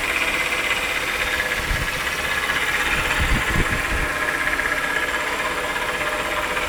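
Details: 2001 Chrysler 300M idling V6, used replacement engine fitted 3 years ago: fast, light rattling tick about four a second; stethoscope suggests timing cover right side, by ear right-bank valve train near timing cover; cause unknown.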